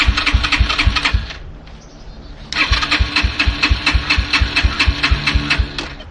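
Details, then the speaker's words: Yamaha TT-R125 dirt bike, sat in a barn about 10 years, electric start: bursts of quick uneven cranking about two per second with pauses, never catches; gas found leaking out, tank likely empty. "Okay, I think that's the problem. There's a gas leak somewhere. Yep, I see it running out right now."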